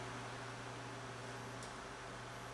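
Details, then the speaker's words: Cool~Breeze CA-126K 12" oscillating fan, Taiwan-made motor rated 0.6 A: steady even motor hum with faint airy hiss, no wobble or rattle; no detectable vibration, running in near-perfect balance. "But this is like, I can't detect the slightest amount of vibration. This is really in like perfect balance. That's rare."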